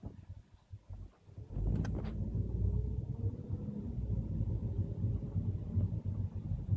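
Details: 2012 VW Golf Mk6 driven over speed bumps at 5–10 km/h: low rumble with sharp hollow knock, like lumber hitting, from front passenger-side suspension; dealership replaced driver-side strut under warranty.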